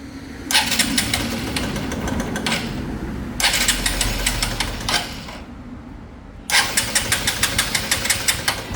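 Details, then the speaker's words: Motorcycle after sitting unused, cold start on a direct battery connection: three bursts of rapid starter cranking with no catch or firing; cranks but won't start, spark plug to be removed and checked next. "Start ആവുന്നില്ല അപ്പൊ നമുക്ക് plug അഴിക്കാലോടാ"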